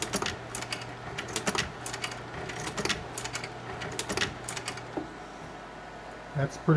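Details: GAF 680 slide projector with round tray: crisp mechanical clacks about every half second over a low steady hum; slide changer cycling normally.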